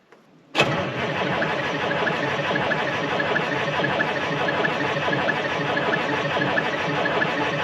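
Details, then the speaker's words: Cold start of a 1976 Ford F250 with a Detroit 4-53T turbo two-stroke diesel in freezing, snowy weather: it fires almost instantly and holds a steady, busy idle with no misses or stumbles. A clean cold start. "i thought since it's been freezing cold out and now it's snowing and it's all sorts of shitty we uh might better do a cold start what do you think"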